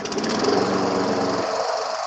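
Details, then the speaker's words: Briggs & Stratton Quantum single-cylinder engine, previously running rough, after a fix: steady, even buzz with no misses or surging before it drops away; running healthy. "Oh, look at that. Sounds good to me. Sounds good."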